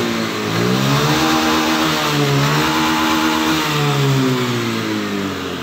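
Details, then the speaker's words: Motorcycle that stalled at full throttle (TPS sensor error), after a 2–3 mm shim fitted at the throttle lever: pitch climbs and holds steady at full throttle, smooth and even, no cutting out or stalling; no problem. "Oke, hasilnya bagus, hasilnya aman, jadi tidak ada masalah."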